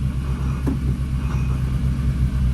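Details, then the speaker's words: Turbo Honda Civic EP3 just fitted with twin-disc clutch, first start at idle: steady low rumble with light constant chatter from the discs, expected twin-disc noise; battery weak. "You can hear the disc making noise."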